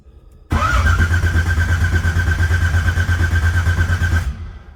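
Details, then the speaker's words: 1980 Pontiac Trans Am V8, first start after distributor install and new TH400 build: steady rhythmic cranking about four seconds with no catch; no fuel pressure, carb dry, cranking until the pump fills the float bowls. "well we ain't even got no fuel pressure yet so if you want to take a little bit of cranking get some fuel up there"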